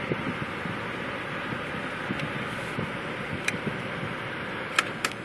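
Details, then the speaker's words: 1982 Jaguar XJ6 Series 3: steady even rush of air from the heater blower with faint motor hum, no rattles or squeals; heater fan works normally. "See if the heater works. Yeah, she works."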